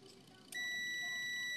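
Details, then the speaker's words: Washing machine timer that reportedly won't return, tested on its wire with a continuity tester: a single steady high beep starts sharply and holds, showing continuity; timer circuit is good. "Pag tumunog to mga parekoys, sabihin may return siya."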